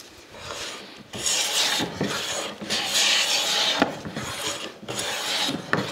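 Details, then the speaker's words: Tuned brand-new Quangsheng No. 5 1/2 jack plane taking a full-length shaving in hard maple: long, even rasping strokes, about three a second, with no stutter or buzz; smooth cut, no chatter or vibration. "you can hear there's no chatter there's no vibration it's just nice and smooth"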